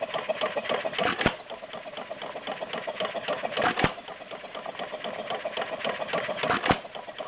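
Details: Warm Stover CT-2 hit-and-miss engine, 2–2.5 hp, choke fully open, about 500 RPM by tachometer: even mechanical clatter with a heavy firing pop about every two and a half seconds, very little smoke; coasting and firing normally.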